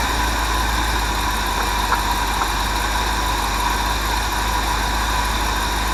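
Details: Ford 400 V8 in a 1979 F-350, running on a Holley carb and Duraspark distributor after swapping out a clone carb and HEI. It starts on a bump of the key with no accelerator pump and holds a steady, even idle with a smooth low rumble, no misses or knocks, under wind noise.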